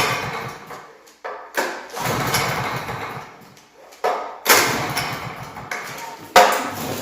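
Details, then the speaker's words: Honda EB3500X generator bought for $100, needing full service; choke pulled, five recoil pulls, compression in doubt: short rasping whirrs that die away, engine never catches. Cranks but no start; cause suspected, not confirmed; fuel then drained. "Yeah, that's not even trying."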